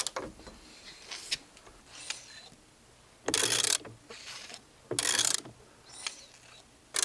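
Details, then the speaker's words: 1952 Johnson two-stroke outboard after full rebuild (honed cylinders, new rings), turned slowly by hand; sharp strong whoosh every couple of seconds as crankcase pressure goes through bypass, seemingly more than before; crankcase compressing well. "is crank case pressure going through the bypass and i'm pretty sure that it's more than it was before so that's pretty cool"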